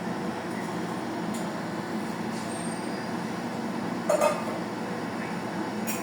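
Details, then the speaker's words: Zamdon 1 kW inverter, whose large fan has just come on: a steady, airy whoosh and constant hum with no rattle or ticking, showing the cooling fan running normally, just loud. "Yan, ganyan kaingay mga lods. Kasi malaki yung fan niya. Pag mag-activate yung yung fan ng Zamdon."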